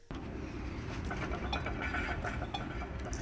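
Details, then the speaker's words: 1977 Volvo 245 rear wheel bearing (a front bearing had already failed earlier): a rough, gritty rumble with irregular metallic clinks as the rear wheel turns; the bearing is worn and needs replacing. "I also screwed up my wheel bearing on the 245 from 1977. This time it's not the front wheel bearing because I have broken already one of the front bearings."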